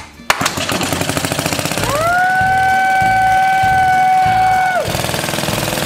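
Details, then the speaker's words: 1936 Briggs & Stratton WM washing-machine engine after valve job and electronic ignition upgrade: steady, even putt-putt at about three and a half beats a second with a brief whistle; runs smoothly, sounds better. "there's a tweet it sounds a lot better don't"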